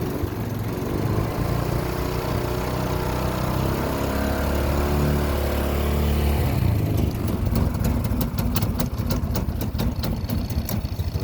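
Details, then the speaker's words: 2004 Arctic Cat 300 single-cylinder quad idling unevenly, beat stumbling and skipping, then a sharp crackling stutter; misfire clears when lights are switched on. Ignition switch already replaced without fixing it, coil tests okay; cause not found. "here we are the 2004 arctic cat 300 it has a misfire when it's running when you turn the lights on the misfire goes away"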